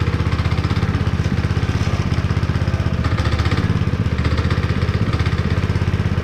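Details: Honda GX160 5.5HP on a concrete power trowel, unused for years and abused; first start after cleaning the plug and pouring a little gas in the cylinder, warming up. Quick, even firing at steady speed, no misses or knocks. Runs normally; throttle cable still faulty.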